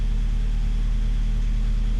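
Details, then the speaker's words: 1995 Mazda Miata after replacing front pipe, catalytic converter and Borla cat-back exhaust, heard from behind: deep smooth even burble at idle and revs, no leak puffing; much better, though slight lifter tick and occasional idle stumble noted. "Let's hear it from behind. Okay, there's a few revs. Definitely sounds a lot better than it did."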